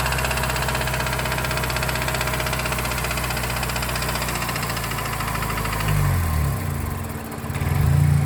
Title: MS3 Rod Knock noises.